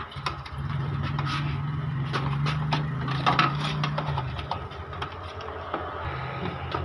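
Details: Epson L3210 printer after a faulty encoder (sensor) disc was fixed; the printhead had been stuck on the left with gears moving fast: short motor whir with light ticks as the carriage travels and settles, no racing gears, starting up normally.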